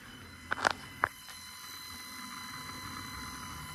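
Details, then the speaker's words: 1974 Mercury Comet with procharged 5.0 Coyote engine, electric coolant pump run with the front end raised after bleeding air: a few light clicks, then a faint steady even whine with no surging or glitching; the air pockets are cleared and the pump runs normally. "water pump has a beautiful wine to it uh it doesn't sound glitchy like it was as it was working air pockets out"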